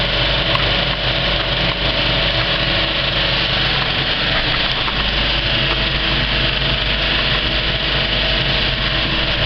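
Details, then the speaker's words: Kinoton FP30D cinema film projector on a Speco LP270 platter system, properly threaded, running at the end of a film: an even mechanical whirr with fine fast ticking and no knocks or scraping, which is normal. "and this is what a really well threaded up projector sounds like when it's running"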